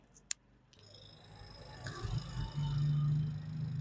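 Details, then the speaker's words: Samsung double-door fridge inverter compressor, force-started from the control menu after a PCB reset and error codes cleared: a click, then a low steady hum rising and holding evenly; compressor running normally. "এই যে শব্দ হচ্ছে। তো compressor চালু হয়ে গেছে, compressor চলতেছে।"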